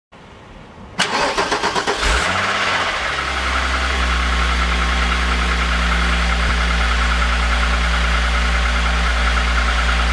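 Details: VR6 engine cranks briefly, catches and settles to idle with a light, fairly regular knock, about two or three per second, over the engine hum; owner suspects piston slap, not confirmed.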